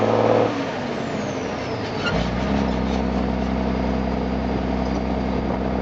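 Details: M35A2 deuce and a half diesel after fitting an AeroTurbine 3535XL muffler: deep idle rises smoothly into a held rev at about two seconds; exhaust note stays even, no rattles or popping; normal.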